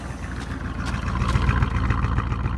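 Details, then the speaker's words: 1978 Oldsmobile Calais G-body V8 first start after sitting: lumpy uneven idle with periodic stumble, running on about 7 cylinders, distributor clicking; suspected arcing in distributor cap, dead cylinder not ruled out, compression check planned. "You can hear that that thing's running on 7 cylinders. So there's probably some arcing going on within that distributor cap."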